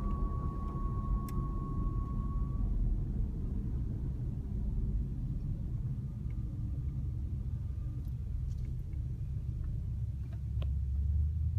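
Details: 2014 Jeep Grand Cherokee WK2 while coasting: a thin, high whistle sits over the low road rumble, fades, then returns faintly; cause not yet identified.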